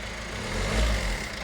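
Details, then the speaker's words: Peugeot Berlingo diesel van after timing chain replacement, restarted once the suspected airlock cleared: even, smooth idle with a steady low beat, no misfire or knocking, no valve damage; lifters briefly tappy while filling with oil. Normal idle. "Yes, Chris, listen to it. Sweet as a nut. Oh, that's nice. Eh? That sounds nice. Yeah, it's not missing."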